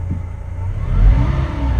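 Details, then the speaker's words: Tow truck after replacing crankshaft position sensor for P0335 no-start, battery reconnected: briefly rough idle while computer relearns, then smooth, deep rev rising and settling cleanly with no misses or knocks; normal engine rev. "oh yeah hear that folks that's the sound of a purring engine"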